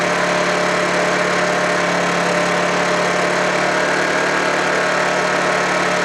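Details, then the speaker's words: Honda generator unused for about three months, after a cold start: constant, even drone and steady hum with no misses, surges or knocks, running smoothly. "there we go watch running so far there we go number one complete"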